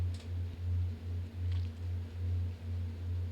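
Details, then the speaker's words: Room fan noise through the open microphone on a GoXLR Mini mixer with noise elimination off, mixer settings turned down to cut the air sound: low steady hum swelling gently about once a second. "You hear the fan, right? Now, you probably can't hear the air because I basically had to turn the settings down in the GoXLR Mini to get rid of that air sound."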